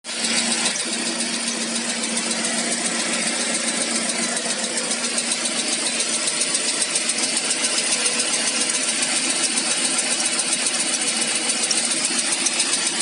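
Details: ZMZ PRO engine at 11,277 km: light, even ticking about two to three per second over a steady idle; owner hopes it is only a hydraulic lifter.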